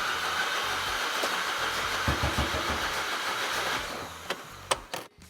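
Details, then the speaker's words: VW MK5 GTI with the EA888.1 TSI engine after a timing chain failure, cranking. The starter spins fast and light with no compression beats and no catch; bent valves suspected. "All right, so that really fast cranking speed, where it doesn't even really sound like it wants to start, is the sound an engine makes when it has no compression."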